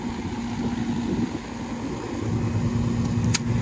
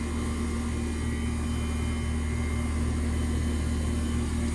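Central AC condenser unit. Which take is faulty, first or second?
second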